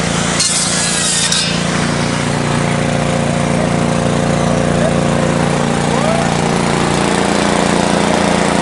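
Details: 1970s Briggs & Stratton generator built for Princess Auto: steady, even engine drone holding speed under load from a running saw, no misses or surging; generator runs healthy.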